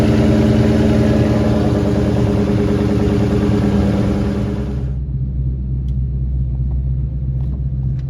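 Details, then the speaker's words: V8 running after loose, rattling O2 sensors were found: deep, lumpy idle with no rattle over the exhaust beat, sounding healthy. "so we got it running and it sounded great this car really does sound good when it runs"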